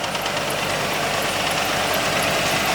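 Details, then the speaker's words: 1986 Ford LTD Crown Victoria station wagon, all-original 5.0 EFI V8, idling. A faint, crisp high tick comes and goes, separate from the power steering whine. The owner suspects the valve train; no smoke. Cause unconfirmed. "So if you hear that noise, see, it comes and goes."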